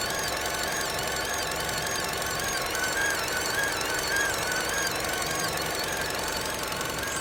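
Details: 2011 Vauxhall Corsa SXi running: a high, wavering whine with a light chatter underneath. Owner asking what causes it; cause unknown.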